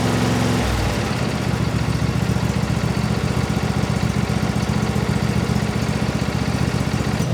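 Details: Briggs & Stratton 24HP V-twin lawnmower engine after a full carburetor cleaning to cure surging: steady, even idle with a regular beat and no hunting or surging, running smoothly.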